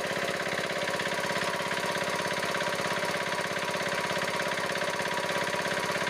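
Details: Diesel engine idling with an even, regular chug at about three beats a second and no puffing or misses, after resetting the loose rocker-set adjusting nut that had caused puffing through the air cleaner and white smoke; a smooth, healthy idle.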